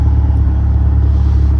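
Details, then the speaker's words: Mazdaspeed 3 after chasing cylinder 3 misfire code, coil packs 3 and 2 swapped: steady deep even idle, no miss, stumble or stalling, running smoothly. "So, I mean, yeah, it's sounding [ __ ] smooth now. No rough idle. It's not wanting to shut off."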